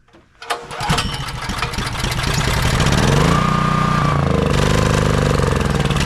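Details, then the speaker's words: Honda EB3800X generator with GX240 8 hp engine that won't start or stay running; catches but speed sags and hunts, barely holding on choke; faulty carburetor, later replaced. "It'll almost stay running on choke. It seems like it'll stay running. I'm not 100% sure if it'll stay running the whole time or if it cuts out."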